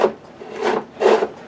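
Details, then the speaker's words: 21-year-old 2003 Weed Eater Feather Lite FL 1500 blower, sat in barn for years: slow scraping rasps with each starter pull while turning over, something inside sounds like it's rubbing; internal rubbing when cranking. "if you guys can hear that sounds like something on the inside is rubbing as it turns"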